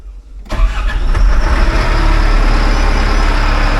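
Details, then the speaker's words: Caterpillar wheel loader diesel, 24V starter just replaced, start from cab with cover off; silence, brief crank, diesel catches immediately and builds to strong even idle; normal cranking and start. "And she starts right up. I think we're golden. I think we're golden."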